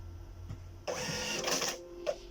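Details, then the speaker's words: Birch CPQ3 receipt printer, formerly beeping continuously, after brushing off dirt and reloading paper; short burst of printing chatter then a crisp single cutter snip; prints and cuts cleanly. "Okay, there you have it. Neat and clean cut."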